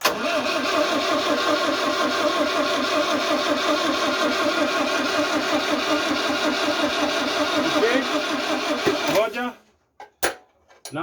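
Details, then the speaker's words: 1974 Citroën DS21, not started or driven for over 6 years, fuel reaching it and battery strong: the starter spins quickly and evenly for about nine seconds but the engine never fires, and no spark is seen at the ignition. Crank, no start. "we can see fuel is coming in we can hear the battery has power cranking up nicely so we need to check whether we have um spark"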